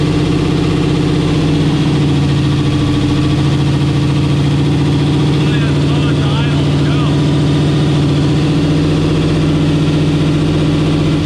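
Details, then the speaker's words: Camaro with a 10.3L (632 ci) supercharged big block on Holley EFI, first drive day: a deep, even V8 rumble holds a fast idle near 1700 rpm and never settles; the idle is set too lean, and a vacuum leak is suspected. "with it as close as we could possibly get it it was still making 1700 rpm wow these should be sealed you know i won't say clothes so that's either we got a vacuum leak or something"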